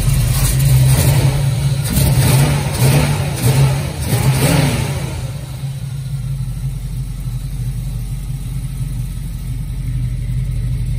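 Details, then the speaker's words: 1969 Camaro with headers, cold start: cranks briefly, catches and revs with a deep burble for a few seconds, then settles into a steady, even idle with no knocks; normal cold start and idle. "100 cold start hear this thing fire up fire up and run"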